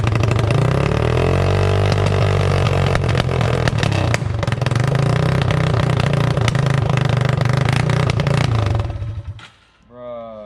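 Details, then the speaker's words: Yamaha TTR 225 with rebuild nearly done, running without muffler, backfiring flames: loud, uneven single that sags and dies; only starts on choke and won't hold idle, though the carburetor is clean. "i hate like choking it but that's the only way it starts [Music] yeah it just dies"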